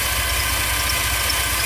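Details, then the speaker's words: GMC Safari 4.3L Vortec V6 after tune-up for P0305 cylinder 5 misfire (new platinum plugs, cleaned cap and rotor, broken wires fixed): smooth, even low idle rumble, no misfire stumble, still smoking briefly. "sounds quiet see the difference in a note"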